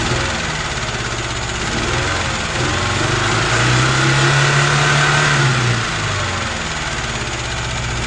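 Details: UZAM 2.0 engine with twin Solex carburetors and a 78 camshaft, first start with no tuning: uneven, lumpy loping idle with wavering revs. The carburetor jets were later found to be mismatched, giving an uneven mixture.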